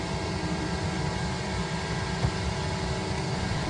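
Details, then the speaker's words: Autoterm Air 4D diesel parking heater with Comfort Controller, running at full power after ignition, drawing about 50 W: steady even hum and fan rush with no surging, popping or misfire; normal running. "Running out full power mode, it's currently pulling 50 watt."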